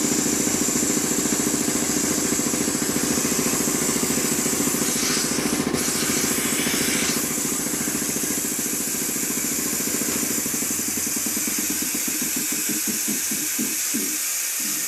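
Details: Quincy model 325 air compressor after rebuild (cylinder head cleaned, valves rebuilt), test run: a steady quick pumping beat with a bright airy hiss on top, even and unbroken. Runs smoothly and healthy.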